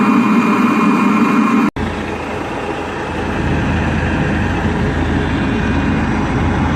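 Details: Webasto parking heater on a 1999 Seat Alhambra 1.9 TDI, after repair: after a brief break, a smooth steady combustion and fan roar holds level with no sputter or knock; normal running.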